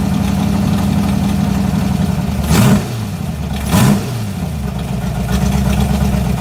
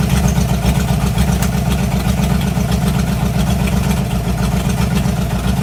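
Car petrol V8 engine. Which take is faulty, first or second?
first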